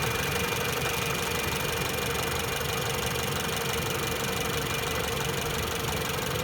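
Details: 2018 Jeep Renegade radiator cooling fan, worn and noisy before replacement: steady loud whirring roar with droning hum and faint rough knocking.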